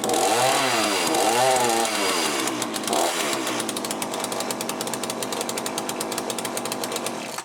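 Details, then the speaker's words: Cheap chainsaw with a Walbro carburettor, just rebuilt, warming up with high and low screws still unadjusted. Revs go up and down, then settle into a fast, buzzy, slightly uneven rattle; owner thinks it runs quite lean. "i'm gonna let it warm up a bit then come back at the moment it seems like it's running quite lean"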